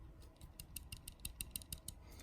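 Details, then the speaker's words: Steel Will Tasso F12-01 folding knife shaken: light, quick metallic ticks, about ten in two seconds; the lock has play and rattles, not stopping with carry. "rattles that lock rattles and that bothers me I really thought after having it for a while and carrying it a bit you know enough pocket went we get in there that it would stop rattling but it rattles and that's that's annoying"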